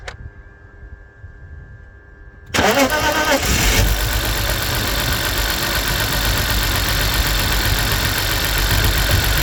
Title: 2002 BMW Z3 2.2i Cold Start Misfire